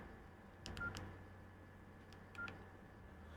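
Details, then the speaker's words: Nokia N95 8GB smartphone after flex cable replacement: short clear keypad tones come through the earpiece in two quick pairs over a quiet room as keys are pressed, showing the earpiece speaker works normally. "can you hear when you when you press when you press something can you hear that click the beeping just go tick tick"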